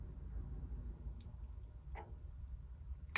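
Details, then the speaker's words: Electric water heater, thermostat turned back up after both elements were off: a few sharp single clicks in a quiet room, the last loudest, as the thermostat switches and the lower element comes on normally. "so I'm going to go ahead and turn it back up here a little bit so I can hear it click again"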